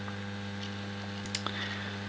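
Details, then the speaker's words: Homemade moving planet clock built for US mains, one motor driving ring and planet rotation, LEDs on a 12 V DC transformer: steady low electrical buzz with a faint tick; builder thinks the motor is the source, unsure why. "and for everything else obviously is working perfectly yeah it's just the the noise from the motor which is getting at me now"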